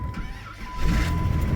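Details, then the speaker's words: 1993 vehicle cold start, apparently sitting since the last video: brief crank, fires right up and settles into a steady, even idle, left to run; normal cold start. "Fire's right up, though. Let that thing run a little bit. Not gonna hurt."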